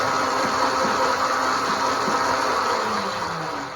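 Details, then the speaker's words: 12 V motor driving a roller chain on a project build, running unloaded. A steady whirring rattle with a thin whine on top; the chain is too tight, and it is to be backed off. "okay so a lot of that noise you're hearing is the chain's too tight the roller chains have a tendency to kind of track chains for a bulldozer that same thing as they roll over here too tight they make some more noise"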